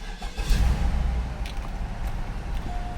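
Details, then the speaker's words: 2002 Cadillac hearse with Northstar engine, 89,000 miles, parked a while awaiting work: brief crank, catches at once and settles into a smooth, steady low rumble; fires right up, normal start and idle. "Fires right up. It runs good."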